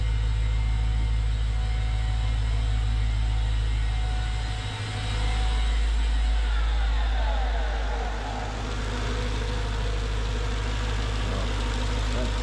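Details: Mercedes CLS55 AMG, supercharged M113K V8, first start after fitting new billet idler pulleys, car unstarted for a while in cold weather: loud, steady, deep roar with a fast even pulse that persisted after warm-up; not seemingly from the pulleys, supercharger suspected, unconfirmed.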